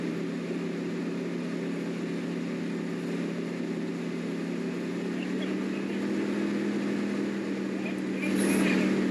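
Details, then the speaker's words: 1979 Corvette C3 small block with Edelbrock Torquer intake, choke not closing: steady, deep idle with a slight rhythmic lope about four beats a second; sounds healthy, a mild cam found already fitted. "Man, that motor sounds healthy. I think it does have a different cam."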